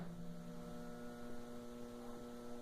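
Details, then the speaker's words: Wank centrifuge (spin dryer) plugged in only hums with no spin-up and stops; the motor capacitor was suspected and is described as burnt, replacing it is the fix; steady low stalled electrical hum. "Ok, mas você vai ouvir o ronco aí, ó. Ela está só fazendo esse ronco."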